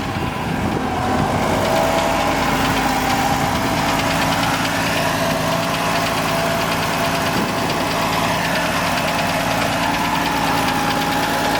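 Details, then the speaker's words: 1950 Dodge 5-window Pilot House dually pickup, original straight-six with single downdraft carb: steady, even low idle with a smooth six-cylinder beat, no knocks or misses; healthy engine. "Very nice. Great motor, very reliable. Very cool."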